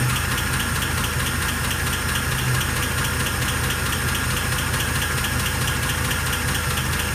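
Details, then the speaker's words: 1948 Pontiac Torpedo with a cast iron head, running after restoration: steady idle with a light tick at about two per second. The tick seems to come from around the front three cylinders and is suspected in the lifter spring area; the source is not confirmed. "i think that cast iron head is it i mean you can't hear it like a uh like with a regular valve cover"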